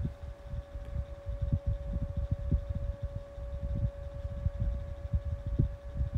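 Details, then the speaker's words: 12-inch Kool-Flo high velocity fan on low speed: steady mid-pitched motor hum under soft airflow rumble; owner also hears a possible bearing noise, suspecting the oil has not yet broken in. "Definitely like that hum. Something that the drum fan over there don't have at all."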